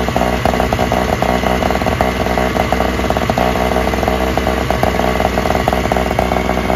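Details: Free Toro/Craftsman single-stage snowblower, small two-stroke started first pull without priming: even steady buzz at constant speed, no stumbles or misses; runs best of the three, a slight nut gasket leak suspected.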